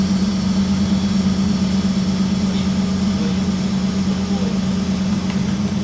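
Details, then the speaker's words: Holden VL Calais V8 with injected 304 5L conversion, first start after wiring: deep, even V8 rumble settling into steady idle, no misses, knocks or rattles; running healthy. "Anyway, we hit the key, fired right up. Pretty happy with that."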